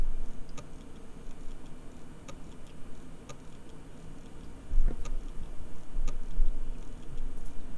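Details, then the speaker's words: Hard drive unearthed after one year buried underground in a freezer bag, data copied and verified, power-cycled with microphone close: crisp isolated clicks repeating about every second on power-up, a modified click of death. "so it appears to be doing a very modified Click Of Death so let me uh me power cycle the disc again so I think I can conclude that the disc is very very unhappy"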